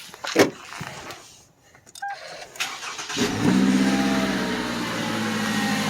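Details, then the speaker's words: 2010–2017 Toyota Camry 2.5L 2AR-FE four-cylinder that had a water pump pulley noise, started with both drive belts removed: it settles into a steady, even four-cylinder idle with no rattle or whine, the noise gone, pending water pump replacement. "now it just sounds like a regular four cylinder hope this is helping you guys"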